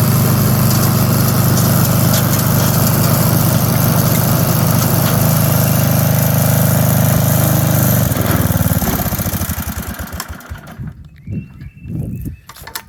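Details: 1982 Snapper Comet riding mower, 8 HP Tecumseh electric start, after restoration with everything reported operational: strong, steady single-cylinder thrum at even speed, then winding down smoothly at shutoff; engine runs healthy.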